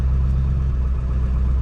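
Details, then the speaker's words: Ford Excursion diesel V8 just after a cold start at 12 degrees, glow plugs still on: deep, steady, even rumble with no knocking or misses, oil pressure up, sitting at about 900 rpm on high-idle strategy; normal cold idle. "we already have low pressure oil and it's idling just fine"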